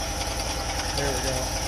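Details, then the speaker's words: Little blue bug after a quick idle adjustment that lowered a high idle with the idle screw: quick, even single-cylinder putter with a light mechanical tick, no hunting or stumbling; settled, healthy idle. "i think that's gonna be good okay okay yeah that idol's nice now"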